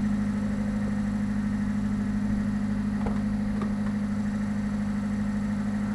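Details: 1991 Subaru Sambar Dias2 AWD supercharged fuel-injected kei van after 5–10 minutes of warm-up: steady even hum at constant pitch with no knocks or misses; normal warm running.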